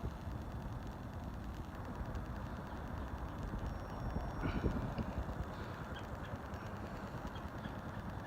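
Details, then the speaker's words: 1986 60-inch brass Hunter Original ceiling fan on high speed: steady low airy rumble with an even soft flutter and no ticking, rubbing or wobble. It runs smoothly and quietly, a strong air mover. "go ahead and go to high speed. Oh man, does that pack a punch?"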